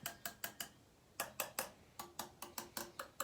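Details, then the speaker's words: Yamaha TTR125 wheel spokes tapped with a small wrench: most ring with a clear tone, a few thud flat and dead; one is so loose it moves by hand, so the loose spokes are to be tightened. "one's so loose that you can move it so we're gonna tighten them up"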